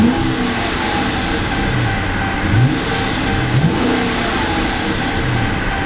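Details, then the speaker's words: 2012 Dodge Charger R/T, brand-new 5.7 L Hemi V8 rated at 370 hp, quick throttle blips: deep growl climbs smoothly and settles back cleanly with no knocks or rattles; described as having a refined growl and a nice punch, a healthy engine. "kind of a nice little punch to it also much more refined growl to it beautiful sounding Hemi engine"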